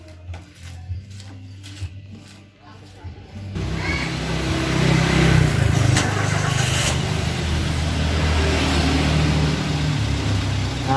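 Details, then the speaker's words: 2012 Toyota Avanza Veloz whose harsh engine noise came from damaged rod bearings, blamed on poor-quality oil. After the repair and an oil change, it catches at once and settles into an even, low, smooth idle with no knocking. Normal start and idle. "Oke, Lur, suaranya sudah kembali normal, halus, layaknya mobil yang masih muda, dan biayanya cukup lumayan menghemat."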